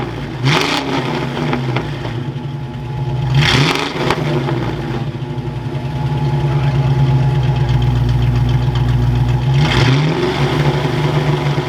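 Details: Fox-body Mustang V8 warming up after sitting: revs climb then stall out and fall back with an uneven, lumpy beat; running on seven cylinders because an injector plug was left unplugged after voltage testing.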